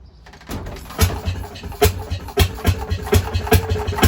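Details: Fairmont RO-C single-cylinder engine with buzz-box ignition, started stone cold on a roughly 90-degree day with the spark retarded and the carburetor set at 2 turns. It catches and fires in slow, sharp, fairly even pops about every half second; normal running after a cold start.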